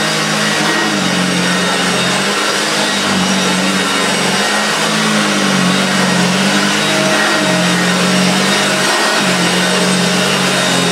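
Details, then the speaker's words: Very early Hoover Junior 1436 Mk1 upright vacuum: loud motor roar with a wavering low hum under a hiss and an odd extra noise, cause unsure; owner suspects the motor bearings are a little dry, not serious. "that doesn't sound too bad what very well I'm not sure what that noise was intended on that thinks the motor bear is my little bit dry nobody dry they need dry bones bearings but that's not the end of the world"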